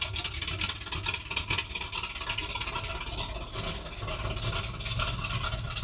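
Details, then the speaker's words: 1978 Ford Bronco after decades in a salvage yard, with fixed transmission and exhaust pipes fitted: loud, raspy exhaust idles at a steady, even rhythm with no knocks or misses; a healthy idle. "sounds good with them pipes on there. Still way too loud, but she sounds good."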